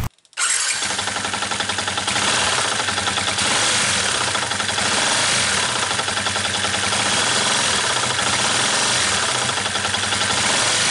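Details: 2013 Yamaha New Vixion engine with an abnormal noise, crankshaft already checked: right after starting a rapid metallic rattle at roughly three to four knocks a second over the idle, pointing to piston slap from worn piston and cylinder.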